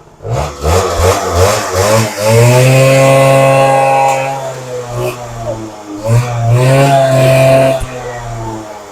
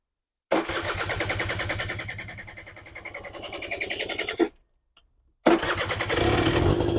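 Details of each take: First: Suzuki LT80 two-stroke quad, warmed up, a bit smoky from fuel in exhaust: picks up cleanly through two blips, revs climbing and settling smoothly with crisp, even exhaust; runs fine. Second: Suzuki LT80 80cc two-stroke petrol quad, cold, fuel tap suspected faulty earlier: rapid uneven popping that fades and stalls, then catches on a bit of choke and runs ragged, a hard cold start.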